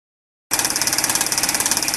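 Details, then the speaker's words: Brushed 24–32 V DC water diaphragm pump, about four years old, pumping about a cubic meter a day for solar water pumping: rapid buzzy chatter of about seventeen beats a second with a harsh rattly edge; pump is starting to fail. "you can probably hear this pump is starting to fail time to replace it I guess"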